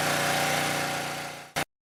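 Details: Southland lawn edger that wouldn't start, spark plug replaced: smooth, even buzzing idle for about a second and a half before cutting off; normal idle.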